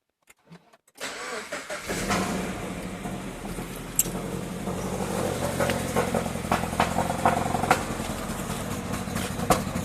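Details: Subaru BRZ cranks and catches, then idles with an uneven, stumbling beat and irregular pops instead of a smooth, even run; engine misfire.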